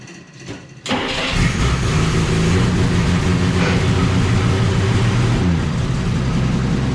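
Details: 1947–49 Studebaker flathead six, supposedly recently rebuilt, sat 35 years, fed from a boat tank, 3-speed overdrive manual: short crank, then it fires into a steady, even, smooth idle with 40 psi oil pressure. Normal idle.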